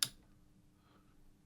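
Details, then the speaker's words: Sony HT-BE1 5.1 home theatre amplifier that stopped turning on, lights come on but no sound output, on the bench: one sharp relay click at switch-on and green light on, then only faint hum; unit doesn't fully come up. "yep here the relay click green light came on here if you can see that there"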